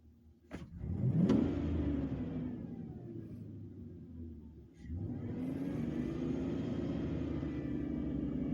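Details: Hot petrol engine idling in the yard after an exhaust leak fix: one sharp blip to about 3,000 rpm, then it settles back to a steady exhaust note with no puffing. The owner suspects a remaining vacuum leak may be causing misfires.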